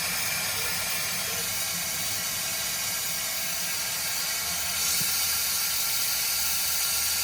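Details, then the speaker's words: Compressed air blown through the touch-activated multi-function faucet while winterizing a 2021–2024 Winnebago Revel with the HydroLink panel; steady high hiss swelling slightly midway with no water sputter, air through the cabin lines means lines are clear. "At this point, you'll actually start hearing air going through the lines more throughout the cabin, and that is totally fine and done."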